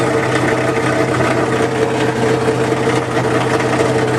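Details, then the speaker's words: 1978 GMC K25 truck, first start after years sitting, flat-tappet engine: ragged, uneven idle with a harsh, chuffing exhaust note; runs rough, owner thinks partly the exhaust itself. "all right so this does sound pretty terrible but I think that part of that is the actual exhaust itself"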